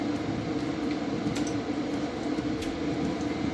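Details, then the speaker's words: BougeRV 2000 W pure sine wave inverter under heavy load at about 1300 watts, just before the load is pushed higher: cooling fan has kicked on, a steady mid-pitched whirring hum holding level, normal fan operation. "here here our fan kicked on we're at 1300 wats"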